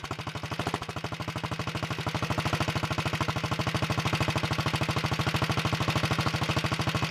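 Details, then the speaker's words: 1961 Wheel Horse model 401 garden tractor single-cylinder engine, cold start on full choke after setting point gap: crisp, evenly spaced pops at a fast steady beat with no misses as it warms; runs healthy, smokes a little on throttle. "that sounds pretty good i'm gonna move the camera so you can see it smokes a little when you give it gas"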